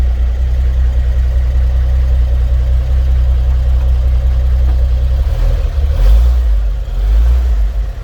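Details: 1954 GMC 250 pickup, 248 inline six, single carb, 4-speed manual, just started from floor starter: low even rumble settling after startup, steady beat, no knocks or misses; smooth normal idle.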